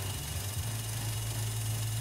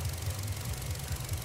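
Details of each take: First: GM 1.4 turbo (Cruze/Sonic/Trax/Encore) idling low and rough, surging with check engine light on and engine shaking; the PCV valve inside the intake manifold has failed, leaking air (P1101/P0171). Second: GM 1.4 turbo (Cruze/Sonic/Trax/Encore) that was surging at idle from a failed PCV diaphragm in the intake manifold (P1101/P0171), after installing a one-way valve in the vacuum line: even, low idle with steady beat, no surging; now much smoother.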